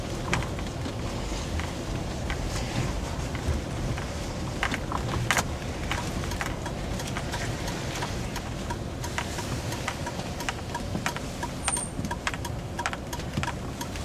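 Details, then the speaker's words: 2005 Mazda6 GG driven over broken road and speed bumps: dull, irregular knocks from the front right passenger side; owner suspects the steering rack, not confirmed. "короче идёт звук справа вот пассажирская вот о неровная дорога будем опять слушать"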